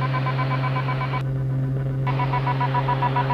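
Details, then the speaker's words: Light aircraft on an IFR takeoff at full power from Lock Haven (LHV): a strange, decelerating, pulsing high-pitched mechanical tone over the engine drone. Never heard before or since; source unidentified. "Hank you're going up I don't know what that sound is can you identify it Mike"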